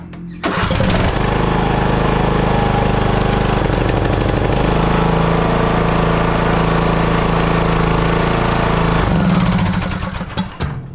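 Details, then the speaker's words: TroyBilt lawn tractor that had sat and wouldn't crank, after fitting an aftermarket solenoid, started with choke: brief crank, then catches and runs steady with no surging; normal start, carburetor needs no cleaning. "it seems we got lucky on that one boy I guess that aftermarket selenoid will work that's a good thing that saved a lot of time now I know I ain't got to clean that carburetor run good didn't surge"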